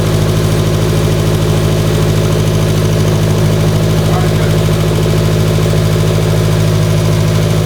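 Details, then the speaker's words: Abarth (Fiat 500) at first start after a new cylinder head install, jump-started: a loud, lumpy idle about three beats a second. It ran rough because the O2 sensor was left unplugged; once plugged in, it idled fine. "I forgot to plug in the O2 sensor, and it was running extremely rough. Idle was bad."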